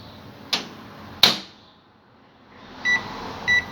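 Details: Microwave oven after replacing the high-voltage capacitor and diode, heating a glass of water for 15 seconds: two door clunks, a quiet gap, then a steady low hum and two beeps; it heats normally and the water steams.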